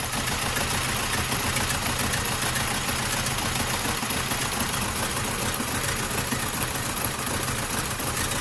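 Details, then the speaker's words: 2006 Vauxhall/Opel Astra H Z14XEP 1.4 petrol dual-fuel, run on petrol mode, idles rough with a lumpy stumble about twice a second. Bad misfire traced by compression test to a low-compression cylinder. Car sometimes stalls. "pretty mellow there is guys I hope you can see how badly is misfiring"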